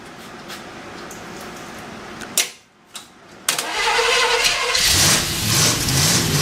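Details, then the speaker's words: Freshly built Chevy 283 V8 first start: catches after cranking and runs loud and uneven with a hissy, ragged note; big vacuum leak from an unplugged vacuum port, running better when the carburetor was covered by hand. "I didn't ever plug off that vacuum that's why when you saw me putting my hand over the carburetor it sounded better it had such a big vacuum leak"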